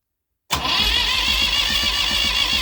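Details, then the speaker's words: Massey Ferguson 35 diesel tractor after starter replacement, new switch and charged battery: strong, even cranking with steady low pulses about six a second over a bright motor whir; healthy starter. "all right well we got to spin over that starter sounds a lot more healthier than the last one I think that last one was on its outs when I put a charge on this battery"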